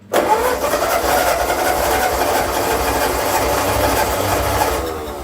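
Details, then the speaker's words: 1945 Ford 2N loader tractor after rewiring, fueled, a little throttle: starter catches almost at once, engine fires, runs up, then eases to a steady even idle; about 10 oil pressure and charging; normal start. "Well, it started up. It's sort of got oil pressure 10. Oh boy. And it's charging."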